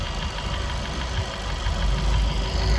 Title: Стук вихревых заслонок впускного коллектора.